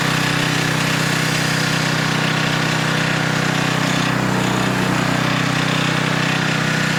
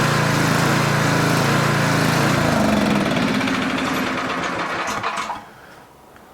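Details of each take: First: Older Tecumseh 10 hp engine on a 4,000 W generator with adjustable carburetor jet, carrying a 1500 W load at about 62.4 Hz; steady low drone without dipping or hunting. Normal governed run under load. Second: Older Tecumseh 4,000 W generator before carburetor main jet adjustment: engine note rises and falls about four times a second, never settling, surging from a too-lean mixture; the fix is richening the main jet.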